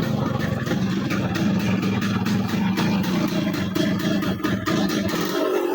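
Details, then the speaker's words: Yamaha RX135 two-stroke, restored 8–9 months earlier, with piston/block noise and poor pickup: rough, clattery running with uneven rattling knocks that worsen with throttle; owner suspects loose piston rings or gudgeon bearing; abnormal engine clatter. "दोस्तों ये थी अपने bike की sound बहुत ही बेकार आ रही है, और एक्सीलेटर ज़्यादा बढ़ाने पर एकदम झिर बाइक कर रही है। तो ये कुछ अलग ही साउंड है।"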